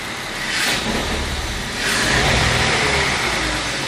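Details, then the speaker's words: BMW 520i E60 2.2 M54 with a stable idle but hesitation between about 600 and 1100 rpm under light throttle. It sounds muffled and flat, as if choking; an intake air, idle air control valve, vacuum leak or sensor fault is suspected. "O relante até está estável, mas ao acelerar entre as 600 rotações e as 1100 parece que abafa, falha, abafa."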